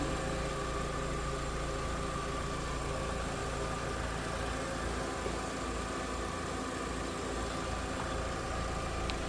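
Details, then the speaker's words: 2000 Volkswagen New Beetle GLS, low-mileage 2.0-liter four-cylinder idling with hood open: even, steady, smooth low hum with no ticking or knocking; running smooth, normal idle. "There it is, that 2 liter. Running smooth."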